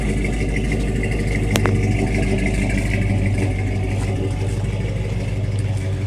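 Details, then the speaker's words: 1982 Dodge W150 with a swapped-in 5.7 L Hemi from a 2008 Ram 1500 and a Flowmaster 40 series exhaust, idling. A deep, even V8 burble with no misses or knocks shows a healthy engine with a loud exhaust. "right now it's just got the 40 series flow master exhaust on it and it's honestly a little bit too loud for a daily"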